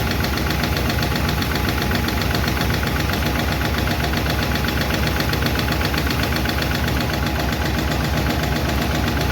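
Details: 1951 Chevy engine at idle after first fire-up and valve adjustment: light regular clicking about four a second over steady idle; number 4 intake and number 2 exhaust still noisy; valve lifter tick, owner plans to tweak those two.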